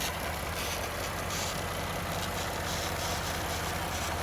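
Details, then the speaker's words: 2017 Ford F-150 3.5L EcoBoost, freshly swapped engine, hot idle after about 10 minutes letting lifters pump up; smooth even idle, no lifter tap, faint steady PCV hiss, healthy. "so after about 10 minutes or so they're pumped up on here you can see most of the burning off is done on here we got the PCB noise but that's not gonna go away unfortunately"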